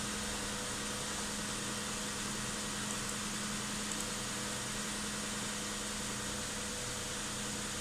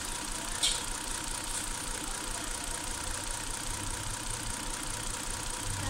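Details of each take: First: 2008 Hyundai Santa Fe being diagnosed for a suspected misfire, cold start at 39 degrees after clearing codes: quiet, even idle with a steady low hum and no stumbles or skips over fourteen seconds. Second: 2008 Hyundai Santa Fe V6 warm idle: faint uneven lope under steady hiss; ignition misfire, oscilloscope diagnosis points to a damaged coil on cylinder 5 killing that cylinder's spark.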